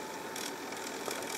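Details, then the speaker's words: Cassette recorder found in the trash, first test with tape loaded, not yet connected to an amplifier: steady high hiss of tape winding fast with faint mechanical ticking, even throughout; rewind works normally. "we do the usual stuff play yep about fast forward and rewind i know you can't see it but i might be able to hear the tape going"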